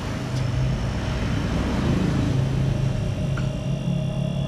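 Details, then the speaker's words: Two-door Aqua refrigerator that is not cooling, suction line held to test flow: low, steady compressor hum that is smooth and not labouring; suction unobstructed, so the capillary is kept and only the filter is replaced. "Oke ini terdengar lancar ya teman-teman saat kita tahan pada hisap ini dan suara kompresornya pun tidak begitu berat"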